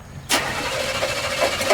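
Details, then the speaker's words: Demolition derby car before the derby: starter spins the engine over steadily for a couple of seconds but it never catches; tank empty, crank no start from lack of fuel. "are you trying to Start it on just a Dream or What fing B I don't got no fuel Nothing to put theel in"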